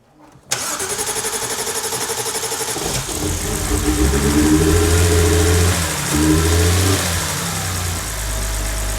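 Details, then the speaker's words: BMW 330i E46 written-off non-runner after new spark plugs fitted: fires at once, a couple of revs blips, then smooth even idle; first start was wobbly, attributed to the mass airflow meter, which is to be ordered. "Truth sounds a lot better well better sounds a lot better yeah it's just the first start got proper wobbly"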